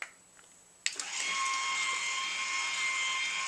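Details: BEME e-Rod motorized drapery drive unit after replacing a failed relay, final test with case reassembled: a click at switch-on, then the small motor settles into a smooth, steady high whine with no stutter; healthy motor running.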